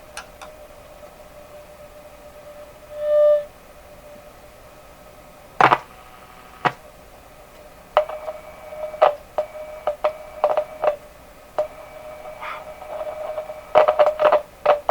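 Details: Westinghouse 535 radio: steady mid-pitched whistle of spurious oscillation, pitch slightly different on short wave, with taps and clicks as parts are worked; owner suspects tubes, sounds microphonic, one tapped capacitor he installed responds.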